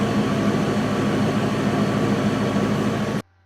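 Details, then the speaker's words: 1997 Mercury Grand Marquis 4.6L after a replaced original MAF, heard at the tailpipe at idle: a steady, even exhaust note with no dropouts. The earlier skip is gone. "Anyways, let me go see if that tailpipe sounds any different. Yeah, there ain't no skipping here."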